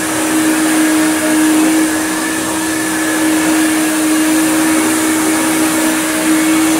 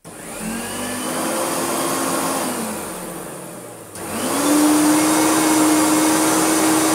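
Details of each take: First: Hoover Turbopower UB088 upright vacuum (about 1996), described as new in box but broken since new with a funny noise. After repair it runs on the rug with the brush roll fitted: a steady, even motor whine with no stutter or dropouts. The whole fault was one spade connector. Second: Hoover Turbopower UB088 vacuum, new in box but faulty since new, on first run: a steady motor whine sags in pitch and wavers, then spins back up unevenly, with slight speed fluttering and a little carbon dust. Cause not yet confirmed.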